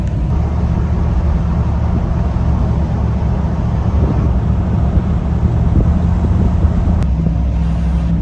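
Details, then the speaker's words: Turbo Chevy Nova V8 on its first drive in years, heard from a following car, getting into some boost: deep steady rumble over road noise, pulling cleanly with no knocks; a drip after shutdown still needs addressing. "I think he got into some boost a little bit it sounds really good from back here"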